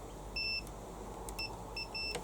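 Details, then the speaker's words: Hyundai HYM530SPE lawnmower with the kill-switch connector off the coil pack, tested with a multimeter beep test: short, clean beeps come and go as the OPC switch is pressed, showing the kill switch works normally. "so I put my probe in this terminal the negative probe in this terminal on the top and I should get a beat there push the switch gone if I come on the top one no beep push the switch and a beep"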